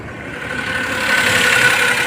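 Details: Maruti Suzuki Alto 800 petrol after the cylinder head was refitted to fix a dead cylinder 2: idles steadily with an even hum, no knocking or stumbling, all cylinders firing.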